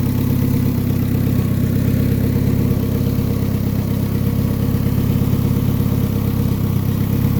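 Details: Honda D-series engine at its first start after fitting an ATI damper pulley and deleting the power steering: steady, even low idle with no knocks, ticks or wobble in the beat; sounds healthy.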